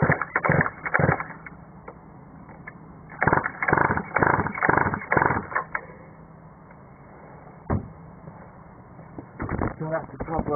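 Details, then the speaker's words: Mini moto two-stroke after owner rebuilt the engine end: three short bursts of cranking with no catch or firing; turns over but won't start, owner unsure if carburettor is flooding. "okay so here's the mini motor I've um took the end apart and rebuilt it all and um it just won't start now"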